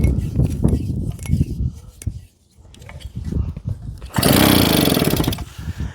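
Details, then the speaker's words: JAP 36cc two-stroke engine on a Stuart water pump: ragged pull-cord cranking bursts, then one rough flare that dies. The plug is found dry with a good spark, so a fuel delivery issue is suspected. "Is our plug even wet? Oh, our plug is a little bit dry, guys. So, I think we have a spark. I think we have fuel delivery issue."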